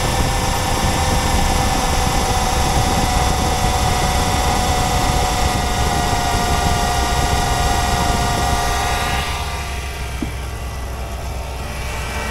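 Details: Jeep Commander/Grand Cherokee 5.7 L HEMI V8 after replacing the poly-ribbed belt: a steady, even hum with a smooth belt-driven whir and no squeal or chirp. The engine runs normally.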